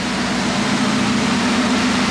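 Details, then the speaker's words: Mazda Miata with the catalytic converter cut off: steady, even idle with a loud, raspy open-exhaust drone and no misses; motor runs solid after sitting an unknown time, though it smokes heavily on throttle. "got the cat cut off, so it's loud."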